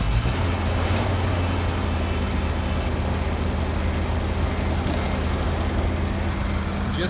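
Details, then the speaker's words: Barn-find Toyota FJ60 Land Cruiser in cold weather, after a new carburetor and fuel pump, idling while burning off Sea Foam: steady low rumble with an even beat and no knocks or misses; runs cleanly. "like that, she's running. She's burning off the sea foam that we put in the motor, trying to clear her out. She actually sounds pretty good though."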